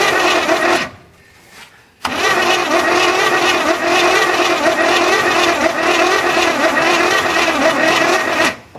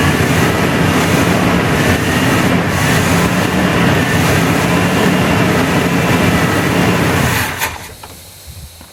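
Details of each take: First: 1981 GM square body truck that sat in a field 25 years, hot-wired and cylinders soaked, possibly low compression: long labored cranking that never catches, slowing as the battery runs down; slow crank from a weak battery. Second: 1981 GM square body V8 after 25 years sitting, fixed by replacing the firewall fusible link, fed from a fuel reservoir: steady, even rumble with no knocks or ticks before dropping away; normal running.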